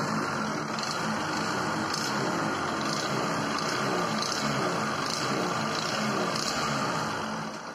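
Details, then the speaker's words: Bajaj Discover 100 single-cylinder idle after timing chain replacement and rocker adjustment, previously loud clattering engine: now smooth, even idle with light regular tick and no top-end clatter; normal idle. "तो sound सुनो sound बहुत प्यारा होगा इस bike का एक जरा सा भी इंजन आवाज़ नहीं कर रहा बिल्कुल प्यारा और मस्त साउंड हो गए"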